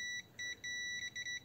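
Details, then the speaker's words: Multimeter continuity test on a BMS NTC bimetal temperature switch: short high beeps in bursts, switch closed (normally on) at room temperature. "yes it has continuity that means that it's normally on"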